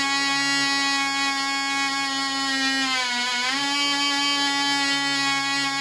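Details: Black Widow mouse racer glow engine, polished crank bearings, high-compression head, 5x3 prop, 24% nitromethane: high steady buzzing whine with a brief sag, runs smooth but slow and won't cut off at the vent; air leak, later traced to loose screws.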